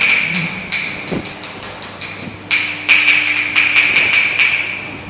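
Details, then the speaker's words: Tool tapping floor tiles one by one with quick, bright clacks during a house inspection, one tile sounding hollower: a loose, delaminated tile, marked for repair. "เขาก็เจอกระเบื้องเสียงไม่เหมือนชาวบ้านแล้วแผ่นนึง"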